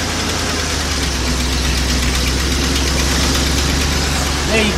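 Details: Car idling after a failing starter was freed by tapping it to get the engine started. A constant low hum with a steady pulse and no clicks, grinding or starter whir. Normal idle.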